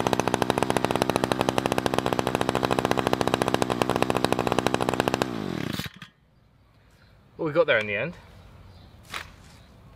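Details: Budget petrol two-stroke strimmer/hedge trimmer, about 4 years old, after replacing split fuel line pulling air; quick even firing steady about five seconds before shutoff, runs cleanly, normal running.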